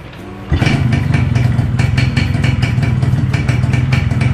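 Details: Yamaha 125Z two-stroke, hard to start, after carburetor service and with the cylinder head carbon suspected: it catches on the first kick and settles into a crisp, steady, even idle with no misfire or hunting.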